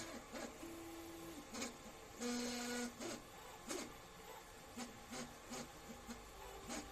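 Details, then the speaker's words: 3D printer grinding only during infill at high speed; buzzing motor tones in uneven bursts, about three a second, over a rattly rasp, frame shaking: frame resonance. "Okay, it's a resonance issue. So you'll actually sometimes catch the Pru-Sambas running behind me because we run our printer so fast. It is common that you run into resonance issues where the entire thing is just shaking."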